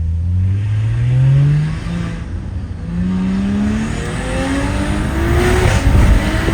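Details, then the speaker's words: Audi B9 SQ5 with new TTE810 hybrid turbo, RS injectors and 4-bar MAP sensors, not yet dialed in, first drive: engine pitch climbs smoothly through repeated pulls with a rising airplane-like rush on top; healthy turbo spooling cleanly under load. "I'm gonna loop around and see if I can get a couple of pulls for you so you guys can hear this turbo and this absolute like airplane engine spool up noise that this turbo is doing it's just nothing can compare"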